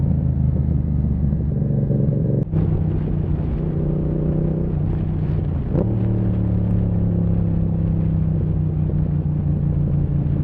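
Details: Yamaha MT-07 parallel twin riding steadily in 2nd to 4th gear, then two sharp exhaust backfire bangs, attributed to the aftermarket Zard exhaust.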